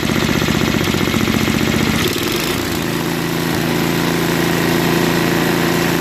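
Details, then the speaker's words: Craftsman 524 Trac Drive snowblower that ran only on 75%-full choke, after quick carb clean of float bowl and jet nut: steady even single-cylinder beat, picks up speed cleanly without bogging or surging, idles well; normal running. "well it even runs well and idle no that's very good so we know that the starter works runs well at idle"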